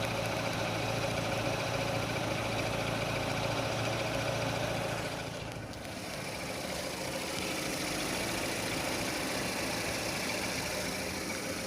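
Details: 2006 Renault Scenic 2, K4M 1.6 with automatic, 202,000 km, warm idle: light fairly regular knock under the engine note, seeming to come from low in the block, appearing as the engine heats; cause unknown.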